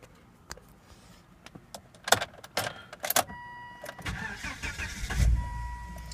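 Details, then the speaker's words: 2001 Volvo S60 won't start: key click, then a brief crank that fires for an instant and dies, repeatedly. Fuel pressure reads just over 50 when cranking; the owner suspects the fuel pump, and a broken hose was found under the car. "the car starts for a second and dies and it just keeps doing that over and over again"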